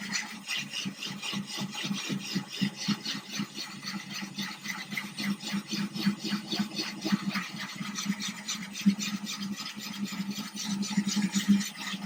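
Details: Ryobi drill with a diamond core bit cutting a thin-glass 10-gallon aquarium, water-cooled, slow hand pressure: a steady gritty rasp rising and falling with pressure, no cracking sounds. Normal cut through glass.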